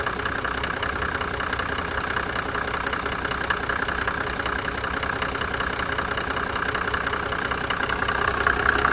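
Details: 1991 Mercedes-Benz 350SD after replacing a broken cam: steady, even diesel clatter at idle with no stumbles or dropouts, no misfire.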